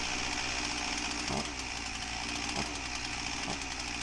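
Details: Husqvarna 346XP chainsaw, customer complaint won't idle right: high buzzing idle with faint slow surges, chain won't stop turning; air leak suspected, later found at cylinder base gasket.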